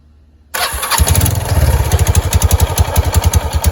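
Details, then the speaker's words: Kawasaki Prairie 300 ATV, started with the belt/CVT cover off after snake remains were found inside: settles into a steady low thumping idle, no scraping or rattling from the belt side; the earlier noise is gone, owner suspects the snake caused it. "Well, that noise has gone away since I took the cover off. I wonder if it was because of that snake."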